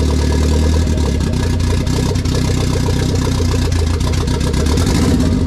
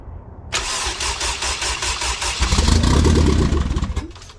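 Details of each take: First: K20 turbo RHD Honda Civic wagon after its first start, on a startup base map with no radiator fitted: smooth, even idle on its own that picks up cleanly and settles back without stumbling; normal idle and free revving. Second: K20 turbo RHD Honda Civic wagon, first start on a startup base map with no radiator fitted, push-button starter, in neutral on a cold day: cranks, fires and runs choppy for a few seconds, then catches itself; rough first start.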